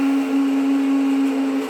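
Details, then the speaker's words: Tesla after a coolant leak, told not to drive: loud steady whir at one fixed mid-low pitch, heard from inside the car; it persists after shutting the car off on the touchscreen and unplugging; some pump or fan suspected. Loud whirring noise. "And it was fine last night. And now today it's making this horrible sound. Sounds like it's coming from in here."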